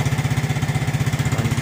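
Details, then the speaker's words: Suzuki Smash 115cc motorcycle, needs only a battery, just started on one click: even, steady idle thump at about fourteen beats a second with no misses, knocks or ticking; healthy engine. "Battery lang kailangan ito. Ayan, o. Start. One click lang, di ba? Okay siya, di ba?"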